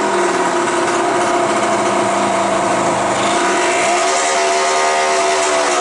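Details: 1986 Yamaha DT175 two-stroke, first start after about 5 years in a shed, carburetor ultrasonically cleaned, no muffler; crisp unmuffled revving with smooth even crackle, picks up and drops freely, running normally.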